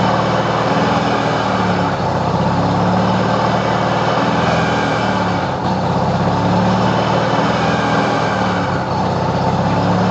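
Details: 1993 Mazda RX-7 Turbo at steady revs: loud engine drone with a faint, constant high-pitched turbo whine running through it.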